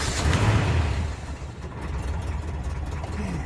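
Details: Classic car started after sitting 24 hours: steady low even idle settling right after start, no knocks, misses or rattles; idles smoothly like it ran yesterday.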